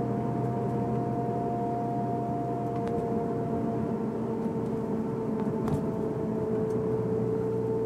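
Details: Honda S2000: steady mid-pitched whine over engine note only with foot on the gas; drivetrain gear whine, owner unsure whether diff or transmission.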